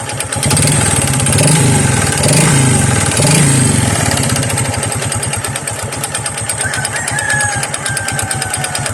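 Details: Honda XRM/XR 125 small single, kick-started and idling with a rough, heavy knock about 3.5 times a second plus a rattly clatter. Connecting rod problem confirmed with a rubber mallet check, mixed with piston slap.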